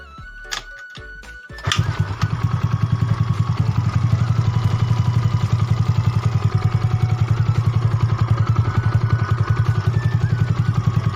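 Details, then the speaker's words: Yamaha Mio bored up to 150cc with new bore and standard carb and valves, restarted after assembly: short crank, then it catches and settles into an even idle with regular firing pulses; smooth, though it may roughen when hot during break-in. "dan yang masih motor udah halus dan mudah-mudahan juga motor awet kedepannya"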